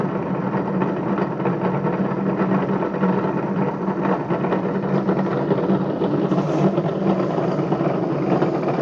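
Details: Bedini motor spinning a BMX rim: steady low hum with gritty rough rumble underneath from worn, bad bearings.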